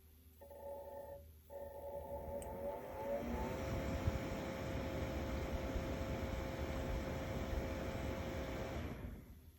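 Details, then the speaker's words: Truma camper heater with recurring fault codes: fan tone starts, drops out briefly, then ramps up unevenly before settling into a steady whir, a hesitant start-up; the owners then replaced the fan. "Et entendez comme le bruit fait, il a l'air d'hésiter quand il va se mettre en route."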